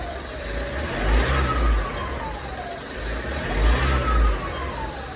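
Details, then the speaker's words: Mitsubishi MQ Triton diesel (2016 Athlete) after replacing one popped boost pipe. On revs, a thin whistle rises and falls with engine speed over the roar. Owner suspects another boost leak or a cooked turbo; the turbo whine's source is unconfirmed. "Need to figure out where that wine's coming from. Definitely sounds like a boost leak. As you guys can hear, that's the turbo. The turbo is cooked."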